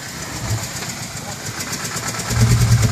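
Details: 2006 BMW E90 320si, N45 engine, 160,000 km, cracked on cylinders 1 and 2: rough uneven idle with irregular heavy knocks about three per second, growing louder; described as hitting valves. The owner chose an N52 engine swap over repair.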